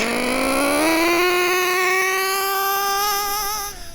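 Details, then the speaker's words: Nitro RC car engine after ticking over a while during carburetor tuning: high buzzing rev with soft, burbly edge, sluggish to take off; mixture still rich. "It's been ticking over for a little while. Let's see what we get. Still rich,"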